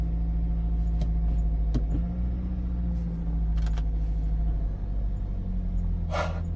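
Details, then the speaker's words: Toyota Celica idling, heard from inside the cabin after replacing two of four motor mounts, including the destroyed passenger mount: a low, steady hum with a faint even throb and no knocks. The engine is inaudible unless the door is open. "I can't even hear the engine unless I have the door open."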